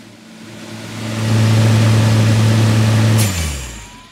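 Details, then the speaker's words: Frosted-up heat pump whose owner questions its sizing, placement or refrigerant charge: steady hum ramps up, then stops with a sharp whoosh and hiss; owner believes the valve switched from heating to cooling for defrost and the gurgling was possibly refrigerant. "I think that sound that you just heard was the valve within the heat pump switching from heating to Cooling and the gurgling sound was possibly the refrigerant from within the heat pump"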